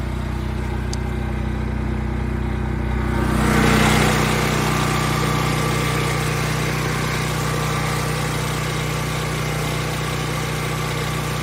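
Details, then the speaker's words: Predator generator inside a DIY enclosure lined with heat and noise insulation, with exhaust outlet and inlet: steady even drone with constant low hum, no surging, knocking or rattles; much quieter, running normally. "See the decibels are right around 92, but I put this heat insulation and noise insulation on there inside the box around the generator. And you can see how much quieter it is."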